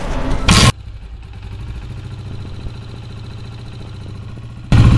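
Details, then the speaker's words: Motorcycle engine after a top-end tapping noise was fixed at home, with a 12 mm bolt opened, instead of the cam gear replacement a mechanic would suggest. It catches and runs with a steady, even beat between blips and no tapping, so it sounds healthy. "देखा माशाल्लाह साउंड इसका ज़बरदस्त हो चुका है।"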